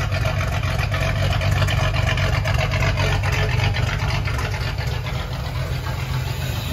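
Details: Ford 300 inline six, first fire-up with newly finished turbo header and open exhaust cutouts: loud, deep open-exhaust burble at an even, steady idle, running cleanly; normal idle.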